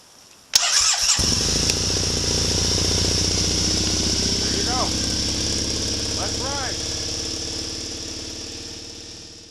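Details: Air-cooled fuel-injected Triumph Thruxton twin, below 0 degrees, battery 12.4 V, started with choke in neutral using an emergency bypass start. A short starter whirr, catches at once, settles into a steady, even idle that gradually quietens; normal start and idle.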